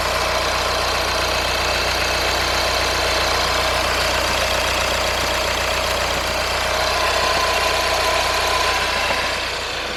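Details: 2014 VW Passat TDI diesel at idle on first start after a new injector was fitted and coded: a loose, uneven rattle of about four beats a second over the steady clatter, which the owner attributes to the flywheel.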